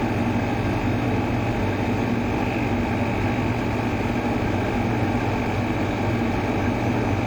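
Steady, even hum with no scraping, rattle or wobble in pitch; the fan motor runs smooth and quiet.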